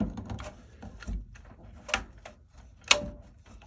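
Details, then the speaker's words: Brand-new GE dryer, timer knob previously stuck, freed with WD-40 rather than forced: crisp light clicks, no binding or grinding as the knob turns; timer ratcheting normally. "Yep, that's the sound you want to hear, guys. So don't force them."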